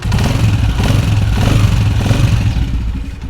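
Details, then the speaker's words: 2022 Honda CG125 motorcycle after home fix for noise a mechanic blamed on cam gear: single cylinder revs and settles smoothly, no tapping or clatter; runs like new. "तो दोस्तों आप देख सकते हैं माशाल्लाह बाइक की आवाज़ बिल्कुल 0 मीटर की तरह हो चुकी"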